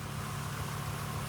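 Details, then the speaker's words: Volvo 850 idling quietly and evenly with a smooth low hum, warmed up, after the vacuum leak that made it run poorly was found with a gauge; it now sounds much quieter and runs much better. "it sounds much quieter much quiet anyways just hear it the engine that engine started turning like a cat right now it runs a lot more better"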